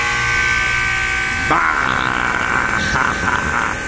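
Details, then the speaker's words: Goodman heat pump running in heat mode, low on charge with an oil leak where a wire rubs the copper: a harsh, steady electric buzz with a high tonal drone; loud vibration, blamed on warped fan shroud. "It's the sound of your Goodman unit. Man, that thing sounds choice. Would you say that this is loud?"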